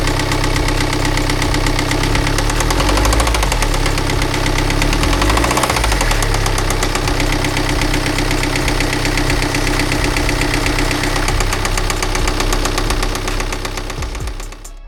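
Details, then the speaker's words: BMW X1 bought at auction with suspected spun bearing, started to hear the noise: loud, hard metallic knock about four times a second over a rough idle; rod knock, likely a spun rod bearing. "I think you'll agree whether you're a mechanic or not your engine should not be making that noise"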